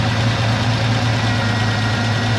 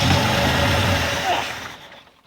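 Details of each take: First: 1984 Ford F-150 left in the woods since 2008, first start in ten years on old treated pre-ethanol gas and a battery: steady even idle, low smooth rumble, no knocks or misses, running on its own. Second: 1984 Ford F-150 abandoned in the woods since 2008, first start attempt in ten years with new battery and gas: engine turns over with rough uneven churning that never catches, then fades; cranks but won't fire.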